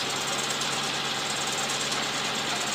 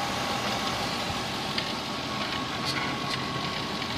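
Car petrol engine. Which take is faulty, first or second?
second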